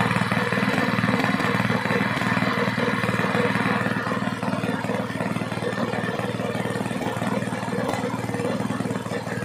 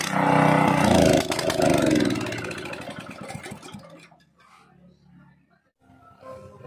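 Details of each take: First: Small gasoline water pump engine after cleaning carburetor, air filter and magneto to fix misfiring from long disuse: steady even single-cylinder firing with no misses or stumbles; runs clean. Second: Small petrol gasoline water pump engine unused for a long time, before repair: runs ragged and surging, then fades and dies within about four seconds as if starved of fuel; very dirty carburetor to be cleaned.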